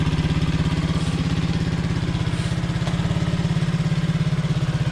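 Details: Honda CT70 (Rocky Amigo 125) idling cold after fitting a 26mm PZ26 carburetor, large intake manifold, 42mm pod filter and new fuel petcock: quick thumping single-cylinder putt, slightly uneven while cold but otherwise normal.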